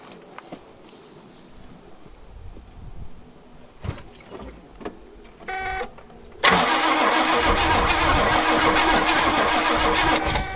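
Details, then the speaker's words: 1969 Oldsmobile Ninety-Eight convertible, 455 big block, sat 26 years: after a quiet stretch the starter cranks hard at a steady beat but never catches; no spark, ignition points need adjusting and/or cleaning. "let me crank this over and see if it wants a spark or not see if it's going on and off on us nope points need adjusted and or cleaned"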